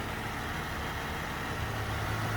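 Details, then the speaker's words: 2017 Jeep Wrangler 3.6L with a cylinder 2 misfire despite a new injector, coil and plugs: a low, uneven, stumbling idle with the engine visibly shaking, caused by low compression in cylinder 2. "they have that indian as you see how their engine is shaking a little bit that's because it was stitched on how this we can do about so"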